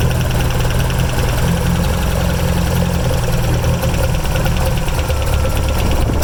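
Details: 1975 Toyota Celica with dual Weber 45 DCOE carburetors at steady idle, faint airy hiss pulsing with intake from unsealed throttle shaft ends on both carbs; normal for these carbs, not a fault.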